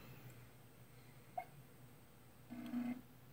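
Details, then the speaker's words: BenQ W6000 DLP projector with a new lamp after a no-light complaint, at power-on: a quiet click, then a short low motor whir as the iris opens and the lamp lights. Working normally. "so I hear the iris moving and the light is coming right on there we go Iris opened up so it's working"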